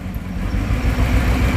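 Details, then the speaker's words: GMC fifth-generation 5.3-litre V8 gasoline direct-injection engine, previously water-damaged, check-engine light blinking: lumpy, uneven idle with irregular stumbles as if a cylinder drops out; misfire persists after checking coils, heavy white smoke; valve lifter failure suspected. "लग रहा है जैसे कोई cylinder इसका proper काम नहीं कर रहा सीधा नहीं इंजन तो अभी चेक करके देखते हैं क्या इशू है"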